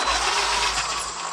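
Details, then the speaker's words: Traxxas XRT RC truck conversion on a throttle burst: short, harsh high-pitched whirring squeak because front and rear differentials are not yet greased. "nothing's greased up. I obviously do have to grease up now my front and rear diffs."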